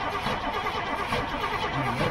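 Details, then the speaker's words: Old gasoline GMC bucket truck, carburetor open, choke pulled: steady even cranking that never catches. No fuel is seen entering the carb while cranking; float suspected stuck. Crank, no start. "I want to show y'all the inside of the carb when he actually turns it over and you don't see any fuel coming down into that"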